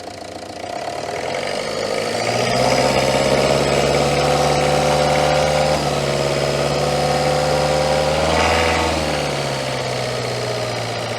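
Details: Citroën Berlingo HDi diesel with lumpy running, after MAF replacement, bubbles seen in the fuel pipe: lumpy, uneven idle with a brief rev that doesn't clean it up; still running rough.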